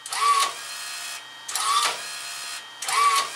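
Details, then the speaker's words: Fujipla ALM series laminator cutter unit after tightening the loose drive wire that slipped on the motor pulley and caused cutter errors: clean, even cutter strokes about every second and a half with steady motor tone; running smoothly and efficiently. "sounds really good so much more efficient than the way it was"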